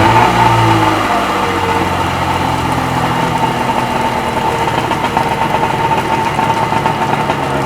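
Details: Sea-Doo XP 720 two-stroke just rebuilt, trial run in driveway, driveline disconnected: revs drop from a blip to busy, even idle with no knocks or rattles; engine sound.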